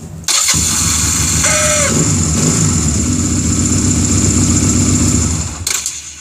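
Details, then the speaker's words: Honda Rebel after new one-way starter clutch, flywheel and stator install (old barrel pin caused noise): brief starter whirr, engine catches cleanly to a steady idle, no slipping or grinding; normal cranking and start. "so now before i put anything else back on here we're going to turn this over and see how she works"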